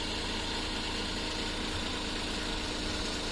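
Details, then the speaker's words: Suzuki DA64 minivan (K6A engine) after replacing a faulty ignition coil pack: the idle is now even and no longer shaky, with no misfire, though RPM is still high. "medyo mapino na ang ah galaw niya no pin na ang andar nian no Hindi Hindi na masyadong maalog"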